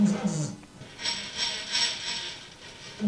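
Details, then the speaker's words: Older milling machine, just cleaned up. Uneven whirring and ratcheting gear chatter rises and falls in waves; owner believes the noise comes from the power feed, not confirmed, and plans to disassemble it. "I believe the noise that we're getting is all coming out of that power feed you hear that"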